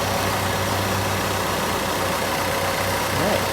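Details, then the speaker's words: 1990 Plymouth Acclaim petrol engine idling steadily and evenly after a vacuum leak that had caused a ridiculously high idle was found and fixed. "Harlow yay and now the idle properly"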